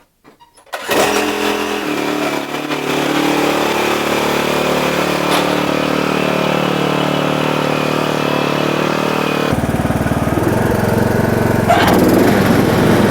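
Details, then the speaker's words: John Deere D110 mower after blade belt replacement, blade brakes left off: cranks and catches within a second, settling into an even steady run that deepens as the blades engage. Runs fine. "Sounds like they work. Seems like it's working just fine without them blade brakes on there, because the dang things don't seem to ever last very long."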